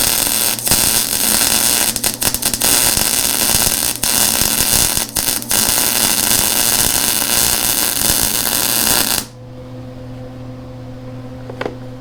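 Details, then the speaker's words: Lincoln Electric Handy MIG after about six months' use, welding beveled edge around a perimeter: steady bacon-fry crackle with few pops; good MIG weld. "Again, very nice weld. Very happy with that. You know, it does, once you get some practice in on this thing, it lays down a beautiful weld."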